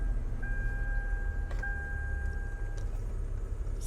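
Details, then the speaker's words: New genuine OEM blower motor (87103-0C051) in a Toyota Sienna, replacing a noisy original, running full speed: even, steady rush of air with only a faint tone, no rattling or scraping; normal blower operation. "AC might sound loud to you but it's really not that loud sounds like the uh original one it's blowing full speed and sounds good"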